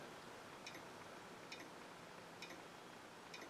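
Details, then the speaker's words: Early Triumph Spitfire under restoration, lights off, turn signal on: faint regular clicking about once a second from the small silver flasher unit, working normally but slowing down. "Can just barely hear it going. And it's getting slower, which is kind of interesting."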